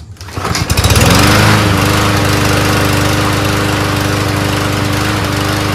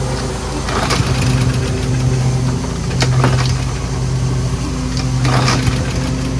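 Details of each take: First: Mower being readied for sale, test whether it starts first pull or needs a new magneto: starts on first pull, settles into steady, even putter, no stumbling or hunting; fixed, runs much better. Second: Toro Personal Pace RWD self-propelled mower, small single-cylinder engine chugging unevenly, pace wandering and surging; hard to start (three or four pulls). Owner suspects a loose carburetor-to-intake O-ring letting in extra air, or a fouled spark plug; unconfirmed.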